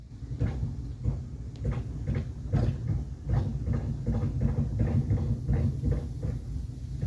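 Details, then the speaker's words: Mercury Mountaineer brought in for a suspected wheel bearing, reversing slowly: low, uneven heavy dull clunks about every third of a second; turned out to be a broken CV shaft, not a wheel bearing. "you guys hear that nonsense i'm not sure this is a wheel bearing"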